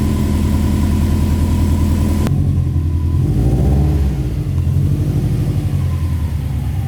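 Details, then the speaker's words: WRX-swapped Subaru 2.5RS turbo with a rebuilt custom exhaust: engine blips, then settles to a deep, even, quiet burble with no puffing or ticking. Normal idle, though a leak at the turbo manifold is still suspected. "very quiet but I like it because when I'm driving this thing around you can hear the turbo noise and all to all the other noises that this car makes"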